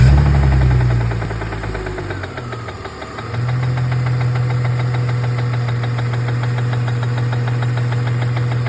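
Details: BMW E46 330 at steady idle with a fast, fairly even tapping about three per second; engine knock/tap/rattle, source not identified.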